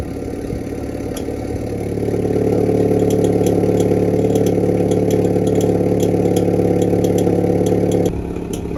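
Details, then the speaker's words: Hyundai Veloster N idling after fitting a Mopar valve spring (68319331AA) for exhaust valve rattle: steady idle with a faint light metallic rattle, three or four a second; improved but still rattles slightly. "so the spring did a pretty good job but fortunately it is rattling a tiny bit it is it is better than before"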